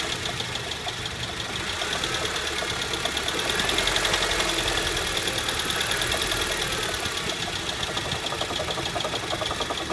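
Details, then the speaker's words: 2008 Honda Civic: fast light knock about three to four a second over steady idle, starts at startup, louder with light revs and worst on return to idle; worn AC compressor bearing, later seized, compressor replaced. "Normally starts as soon as I turn car on Light revs will make it more noticeable, then when I stop putting gas it gets horrible once it comes to idling RPMs this is the worst I have"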